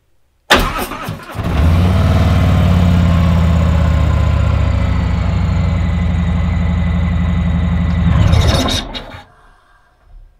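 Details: 2019 Harley-Davidson Tri Glide just after a new battery install, little over 12 volts: brief crank, engine catches at once and settles into a strong, even idle before switching off; healthy start.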